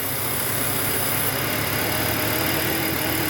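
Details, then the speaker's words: Volvo 850 T5 turbo, after fixing vacuum hose leaks that had it barely running: a steady, even idle with a slight eager flutter and no hiss or stumble. It idles about 95% normal. "look at the engine sadly the engine is Hing like a kitten well okay maybe like a really nervous kitten but um it seems normal"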